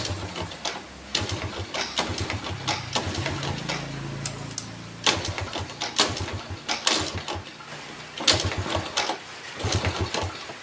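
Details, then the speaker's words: Yamaha Vega ZR motorcycle that is hard to start, hesitates on throttle and stalls: repeated kicks with uneven clicks and short sputters never catch; with standard plug gap it won't run, weak ignition. "benar-benar udah enggak mau hidup Guys dengan kerenggangan yang standarnya berarti memang motor ini pengapiannya udah enggak bisa di enggak bisa dipakai"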